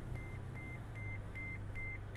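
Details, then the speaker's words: Toyota FJ Cruiser 4x4 at auction, engine idling: six evenly spaced high beeps, about two and a half per second, over low idle rumble; seatbelt reminder chiming because driver is unbuckled. "barulhinho que tá fazendo aí por causa que eu tô sem o cinto de segurança"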